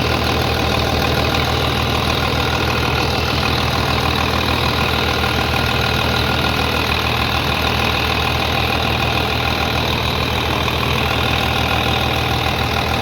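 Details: 3588 at 7,338 hours, idling on a freshly rebuilt engine with new cylinders and pistons; steady, even idle with light regular clatter, no knocks or misses, very quiet; a slight line leak was found, to be tightened; normal idle.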